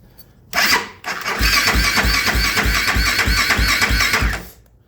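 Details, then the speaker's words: 2008 Kawasaki KFX450R: sluggish, uneven cranking because the battery is fading right after coming off the charger; the bike's batteries repeatedly die. "That damn thing's dying already, and it just took it off the charger when I went to go grab it."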